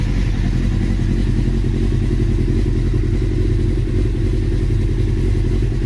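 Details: Carbureted Honda CBR600F3 with carb jets cleaned, choke just off and not fully warm, idle screw set toward the 1200 rpm spec: low, uneven, hunting lumpy idle; carburetor synchronization is suspected next, not confirmed.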